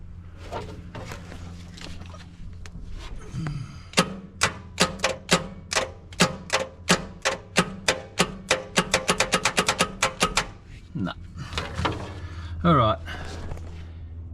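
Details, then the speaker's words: Long-idle Dodge truck, after many hammer taps: rapid dry clicks, about two a second quickening to four, with no cranking at all. Starter motor dead; it is being removed. "So, I've given this thing quite a few hits with a hammer now, and we're not really getting anywhere. I think this starter motor's had enough."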